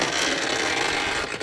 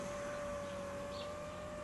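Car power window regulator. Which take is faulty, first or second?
first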